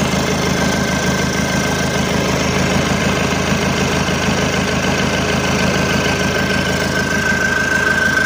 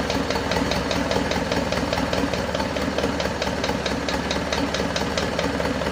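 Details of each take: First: Isuzu Panther 2.5 diesel after overhaul with liners and rings replaced, rebuilt again with standard pistons after heavy smoke: steady, even diesel clatter at idle with no misses or hiss. No smoke, no blow-by, oil pressure up. Normal diesel idle. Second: Isuzu Panther 2.5 diesel, first start after overhaul and turbo/intercooler upgrade, engine assembled but unstarted for about two weeks: fast, light tek-tek ticking over a slightly rough idle. Mechanic thinks a part hasn't settled yet and warms it up. Loose valve guides.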